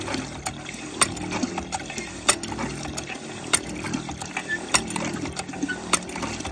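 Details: Hand-drilled shallow emergency water well pumped down after about 10 gallons; sharp irregular ticks and gurgling over a wet hiss as the pump pulls air from the nearly empty well, and silt shows in the water.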